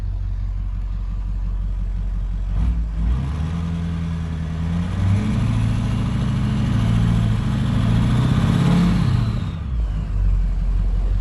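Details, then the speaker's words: 6.0 Powerstroke diesel with a Smeding drop-in non-VGT turbo (64.5 billet compressor, 68mm exhaust wheel, .70 A/R) and 155/30 injectors, first run still warming up: deep rumble, turbo whistle rising with revs; healthy spool, 28 psi boost at about quarter throttle. "she sounds like a non-vgt to me [Applause] boost at the bottom egt's at the top uh definitely can hear the turbo quite a bit"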